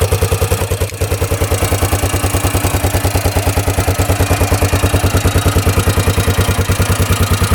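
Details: 1998 Yamaha Grizzly 600 4x4 ATV, repaired after it wouldn't go over 10–15 mph: crisp, even single-cylinder thumping, every firing clean with no clatter. Test drive easily reaches 55; running healthy.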